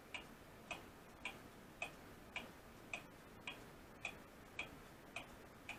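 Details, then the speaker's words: Restored Seth Thomas weight-driven clock movement, out of its case after pivot work and bushing, no gong yet: crisp, evenly spaced ticks just under two per second, consistent beat; normal ticking. "we've got it up running hanging here that's the weight you hear it ticking i just did the count no gong yet"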